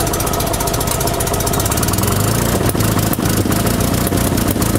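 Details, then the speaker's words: 1974 Fiat 500 runs poorly, jerking and shaking, with a loud uneven idle that stumbles and drops out about every second; ignition was set months earlier and the cap was found loose; cause suspected, not confirmed. "läuft recht recht bescheiden ruckelt und wackelt"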